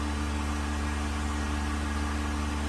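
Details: Vacuum pump on a 1600-litre mixer during a vacuum test with an empty chamber, gauge vacuum past 0.08 nearing 0.09; steady low hum with constant pitch and smooth airflow hiss, no knocks or rattles, quiet good-quality pump running normally.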